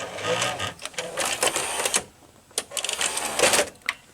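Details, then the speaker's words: Late-1980s Quasar VH5471-K VCR (Panasonic mechanism) trying to play: irregular clicks and whirring with stalls as the pulley turns but the transport struggles to drive forward; idler problem, alongside uncontrolled capstan speed. "so apparently there is that you know the idler is a working back because the pulley is turning on the bottom side and that it's like a struggle to go forward to turn"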